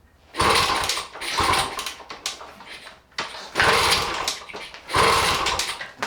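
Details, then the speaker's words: 1977 Kawasaki KD100M, a 100cc two-stroke rotary-valve dirt bike with a 5-speed, stored 4 years and never started since. Kicked cold with the choke on and the muffler baffle missing: four rough turnovers that never catch. The owner suspects a spark plug fouled by oily fuel, or flooding. "Maybe not. Might need a little extra choke here with my hand. No? I wonder if I fouled the spark plug with all that oily gas I put down in there."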